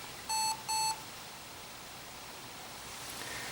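Two short, clear high beeps about half a second apart at power-on in a quiet room; a startup warning code of unknown meaning.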